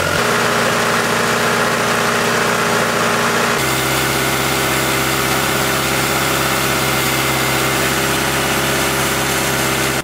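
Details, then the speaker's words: Cold petrol engine with a vacuum leak deliberately made on the side of the intake manifold: it idles way too high, fast and busy, with the hum stepping in pitch, as water is sprayed around to locate the leak. "So, as you guys can probably tell, the engine is running way too high due to this vacuum leak."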